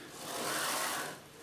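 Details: Old CNC router carriage on recirculating linear bearings, slid by hand with the lead screw and stepper disconnected to check a suspected broken ball bearing: a smooth, even swish with no ticking or catching; the bearings sound fine.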